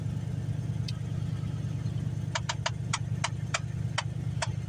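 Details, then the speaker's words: Lincoln project car with parasitic battery draw, started with anti-theft light blinking: irregular sharp ticking clicks, about two per second, from the dash over steady idle; blend door actuator faulty. "got a blendor actuator that's not happy. Got to look into messing with that."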